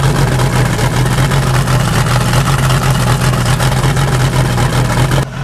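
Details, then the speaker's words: 1988 Crestliner boat, Chevy 305 V8 with OMC King Cobra drive, first start in years on water hookup, loose power steering belt, steaming: steady low V8 burble idling acceptably with water splash, left idling to warm up. "all right first of all that's really good news you can hear to the background idling I'm gonna let idle for a few minutes just to warm up"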